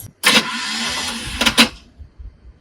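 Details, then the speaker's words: Squarebody Chevy truck, cold, after winter storage: about a second and a half of thin raspy whirring with no turnover; starter Bendix not engaging, likely weak battery, jump start planned. "Starter's not engaging. It's cold. Yeah. Yeah, I don't think it has enough power to engage the Bendix all the way."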